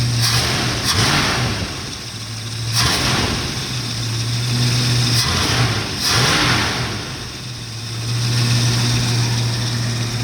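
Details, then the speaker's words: 1969 Mustang cold, choke coming off slowly, idling about 650–700 rpm and expected to drop when warm (reached 600 before). Steady slightly lumpy fast idle gently rising and falling. Normal cold idle on choke. "Choke's coming off slowly. So we're idling. Right now we're idling at about 650 RPMs, maybe 700. After it warms up, it'll drop down a little more."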